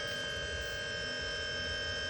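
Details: AU Falcon fitted with a converted Astra TRW electric power steering pump, first test run: even, steady electric hum with a few constant tones, no grinding or pulsing; pump runs smoothly.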